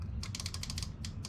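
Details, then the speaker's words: Fuel injector unplugged and pulsed by hand via a pigtail harness to battery positive/negative, engine off, after the engine would only run on starting fluid: quick bursts of sharp crisp clicks, injector opening properly. "You can hear it clicking. Okay, they're shocked."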